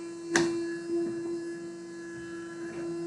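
Steady, quiet mid-pitched hum with no flutter or rubbing; a small DC motor running smoothly on its circuit.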